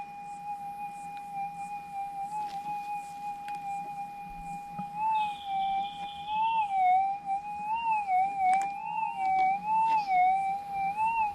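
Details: GPX6000 metal detector in noisy ground, difficult ground type, sensitivity nine; smooth steady threshold tone, then a clean wavering rise as the coil crosses a small gold nugget: normal target signal, stable setup.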